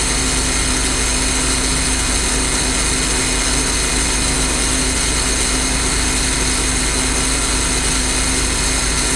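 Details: J. G. Brill gasoline motor car 120 after some work, running again: steady even engine drone with faint low hum, no knocks or misses; healthy running.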